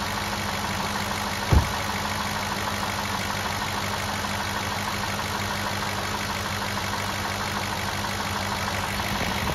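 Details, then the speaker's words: 2007 Cadillac DTS, newly replaced power steering pump being bled of air after adding about half a quart of fluid: engine idles smoothly with faint steady pump hum, no groan or whine while steering; normal power steering pump. "We used about a half a quart. Hear how nice and quiet it got?"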